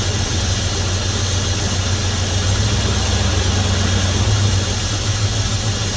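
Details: 1971 Dodge Coronet police car, 4-barrel 383 big-block V8, after sitting since the early 1990s, new plugs, wires and oil, wheels chocked: deep, smooth, even burble, no knocks or stumbles; 60+ psi oil pressure, owner calls it a healthy motor. Normal idle.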